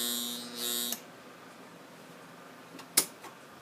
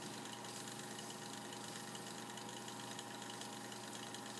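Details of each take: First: Mini sanding machine that won't spin: hard electric buzz for about a second with no motor wind-up, then quiet; stalled motor from failed run capacitor, fixed by capacitor replacement. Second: Mini sanding machine that would not spin and only buzzed, after the run capacitor is replaced: quiet, steady electric hum with even tones; the small motor spins up and runs smoothly, normal running.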